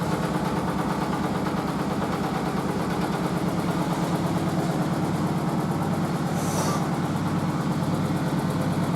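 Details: Merloni Electra WD1100 washer dryer, 50°C non-colourfast cotton unbalanced load test: heavy rhythmic thumping about ninety a minute over motor drone. Drum doesn't hit the cabinet, but the stiff suspension pulls the machine about; unbalanced load in spin.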